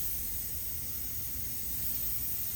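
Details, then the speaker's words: CDL Class A truck tractor, first start in over a year, air tanks filled then engine stopped: steady loud hiss of air escaping; governor kept cycling, owner suspects a brake air leak, source unconfirmed. "that's a pretty strong his I think I'll be able to make it to wherever I got to go but yeah that's pretty scary though"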